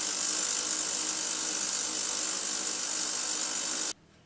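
Constant high-pitched hiss and buzz at an even level that stops cleanly when switched off; the cleaner is running normally.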